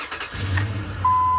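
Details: 2003 Dodge Ram 1500 5.7 Hemi after adding a little gas to its empty tank: a brief crank catches immediately into a steady V8 idle with a chime tone over it; normal start.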